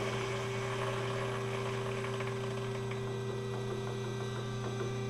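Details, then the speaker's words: Big bevel gears on a hobbing spindle at 165 RPM, about 8 thou added center distance: steady gear hum with faint irregular light rattle; gear rattle from small lash. "I don't know if you can hear that um above the machine it's making just a little bit of a rattle sound"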